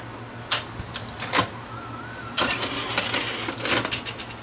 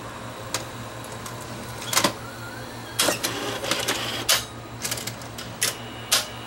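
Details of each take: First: Sony VO5850 U-matic deck after head drum swap from another model: sharp clicks and clatters in two bursts with a brief motor whir; the earlier fault no longer occurs, owner wonders if light hitting a sensor caused it; normal tape loading operation. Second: Sony VO5850 U-matic VCR fitted with a swapped video drum: on eject, clicks and clunks as tape unloads, then rising motor whir as it re-threads to half-load; eject won't complete. Owner suspects light hitting a sensor; also won't rewind, slow elevator, belts likely worn.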